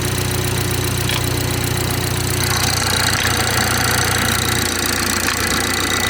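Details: BMW 430i xDrive, B46/B48 four-cylinder, cold start in cold weather: quick knocking-like clatter three to four a second at idle; source not identified.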